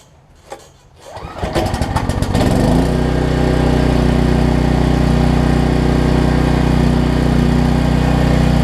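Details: Troy Bilt generator after fixing no-spark fault traced to low oil sensor module (new coil and plug fitted): cranks, catches within seconds, settles into steady even drone, no misses or knocks; runs healthy.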